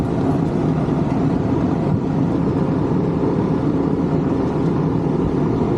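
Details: Condenser of a 1986 Rheem AC (about 37 years old) that was barely blowing air, running after a fan motor change (about 1.2 A) to dry soaked coils: steady fan whoosh with low compressor hum, no rattles or surges; normal running.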